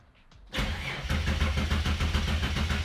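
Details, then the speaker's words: Ford Fairlane turbo build on Haltech ECU, injectors disconnected: starter engages then cranks sluggishly at about three to four chugs a second, only about 200 rpm versus 300 wanted; slow cranking from a roughly 30-year-old worn starter motor. "If we're getting, because we had like 200 RPM. Yeah, 200 RPM on crank. We should be getting asking for 300."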